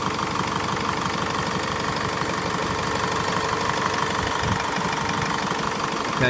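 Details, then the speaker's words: Mazda 6 2.2 diesel idling after timing chain replacement: steady even diesel clatter, previous chain rattle and ticking gone, slight idler/pulley bearing whine noted; engine sounds healthy, normal idle. "and there's no ticking noise anymore, tapping noise, all quiet."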